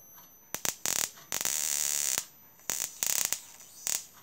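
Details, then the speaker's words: Homemade 12 V DC negative ion generator powered from a battery: sharp high-pitched hissing crackle in irregular bursts with short gaps; buzzing normally and working fine. "so yeah that's working fine we're just gonna hold the end and make sure yep"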